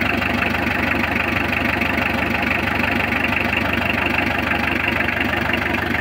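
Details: Mitsubishi L300 diesel after clutch, clutch cable, master cylinder and tie-rod repairs, started after glow-plug heating: steady idle with even clatter, no squeal or misfire, running smoothly.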